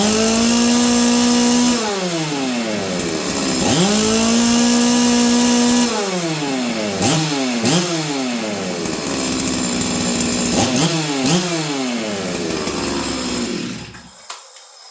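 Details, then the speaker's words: Stihl 044 Arctic chainsaw, warmed up, after new coil, intake boot, fuel line, filter and impulse line, high jet 1 turn, low jet about 1: snaps to full revs and drops cleanly to idle, steady without the earlier fluttering; normal running. "you guys hear that nice consistent four stroke before I could feel it fluttering it's not doing that anymore"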